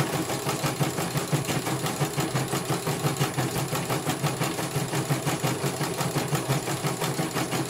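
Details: CNY computerized embroidery machine, serviced because its motor would not turn, test-stitching a small pattern. Steady, even stitching clatter at about three beats a second over a smooth motor hum. It finishes one color and is judged very good.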